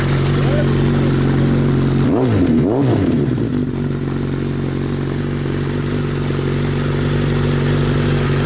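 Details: 1982 Suzuki GS1100 first run after rebuild; even idle with a quick throttle blip that rises and settles cleanly, no rattles or misfires. Normal running.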